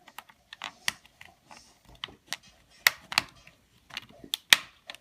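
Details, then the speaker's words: Xbox One controller thumbstick with loose play, wiggled by hand: irregular sharp plastic clicks, scratchy pops and grinding; thumbstick popping and grinding. "a lot of people have been having some issues with it popping wobbling uh loose play as you can see if you just wiggle it there it's got a little bit of play"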